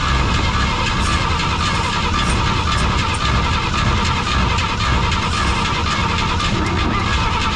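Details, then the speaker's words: 1953/1954 Chevy 6400 grain truck off a western farm, start attempt on prime bottle: engine catches and sputters irregularly, never settling to steady idle; needs steady fuel, fuel pump not yet supplying. "okay we'll just need steady fuel now what we just need to get steady fuel now then we'll be running"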